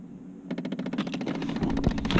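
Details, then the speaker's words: Chevy Impala/Malibu: rapid, even clicking from the dash over a low blower hum, suspected to come from a failing HVAC air door actuator, which was then replaced. "okay I think I think I know what it is I think it's the air door actuator for the a seat"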